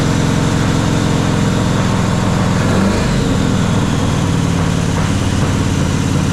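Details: Jeep XJ with swapped 350 V8, first startup, distributor loose: a rough, lumpy low rumble with an uneven beat. It fires on only a few cylinders; number one is dead, while 3 and 5 and the others with compression work.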